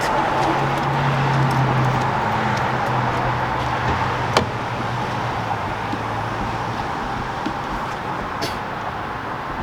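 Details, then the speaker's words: 2021 Audi S4 3.0T single-turbo V6 after rocker arm replacement for ticking noise: smooth, even idle with no top-end ticking; noise gone after repair, no leaks. "Alright, so like you see, the noise is gone, car is happy again, customer hopefully happy too,"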